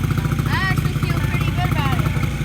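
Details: 2008 Honda CRF50 just after carburetor replacement, running while warming up: small single thumps along at a steady, even idle with no misses or rattles; sounds healthy.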